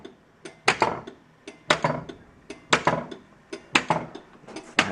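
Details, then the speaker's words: 1981 Bally Mr & Mrs Pacman pinball: sharp clicks about once a second, each with a short rattle, as the solenoid expander relay pulls in while the drop targets drop; it lets one transistor power two devices, normal operation. "the reason that it's clicking is that it uses one transistor to power two devices"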